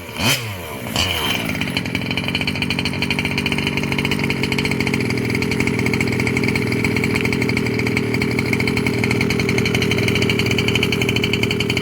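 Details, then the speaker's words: Losi 5B TLR with OBR 34cc two-stroke, first fire-up after bottom-end rebuild for failed crank bearing that caused a rattling noise: fires then holds a steady high buzz with no rattle or knock; the noise is gone. "this is my first fire up since I rebuilt the bottom half and it seems like that terrible noise is gone"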